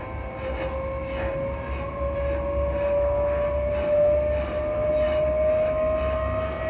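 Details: Class 334 electric train near Edinburgh Park and Haymarket: slowly rising traction motor tone over steady rumble with faint irregular thumps from below, noisy suspension.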